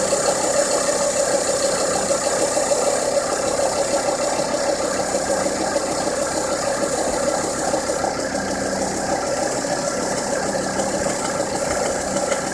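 Steady idle with a light, quick ticking at about two per second riding on top; an abnormal tick, source not pinned down.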